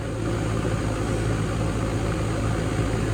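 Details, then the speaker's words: Goodman heat pump condenser (Bristol compressor) after a dead capacitor was replaced, pumping hot air straight up; the fan blade looks low: a steady low hum with an even fan whoosh and no rattles or buzzing; normal running. "Old Bristol in there, you can see it, or I can, and I can hear it too."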